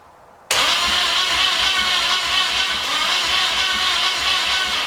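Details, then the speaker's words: 1981 Pontiac LeMans sitting for years, after starter shims, adjustments and alignment, plug wires off: steady, even cranking whir, no grinding or stalling; starter spins the engine healthily. "Honestly, it sounds pretty good. To me, that sounds pretty good."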